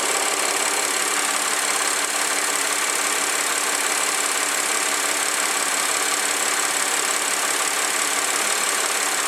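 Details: 2009 Audi A4 3.2 engine at warm idle: fast, light valve-train ticking, about three per second, over a hissy engine note; cause unknown, heavy ticking also noted on cold start.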